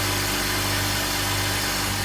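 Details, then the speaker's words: 2004 BMW X3 3.0, previously idling rough, at first start-up after garage repairs including a new mass airflow sensor: a steady, even idle with a constant low hum and no misfires, shakes or ticking; normal idle. "So here's the first start up after some repairs. Perfect now. No shakes, no rattles, no misfires,"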